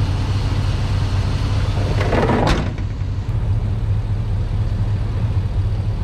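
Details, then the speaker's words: Truck after sitting a while, in cold weather: deep, steady V8 idle, smooth with no stumble or misses, one brief background clunk; a normal idle. "oh it's good to hear it run she runs good too nice and smooth"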